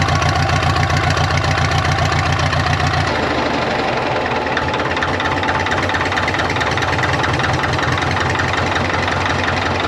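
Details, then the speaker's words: 1939 Caterpillar D4 with D4400 diesel: uneven, loping knock about three to four beats a second at idle; low fuel pressure noted, cause not pinned down, though oil pressure at idle is good: rough idle. "Idle. Still sounds like it's got a mess. Might have to work some bugs out, but I can't tell where or what's coming from."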